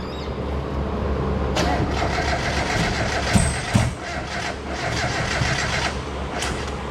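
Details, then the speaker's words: Miata back together, first startup attempt with coil plugs switched onto the wrong coils: cranks, catches, then runs lumpy and uneven with stumbling beats; misfire from swapped coil connectors, later fixed. "The first one didn't work out so well. We fixed the issue though. We had the coil plug switched."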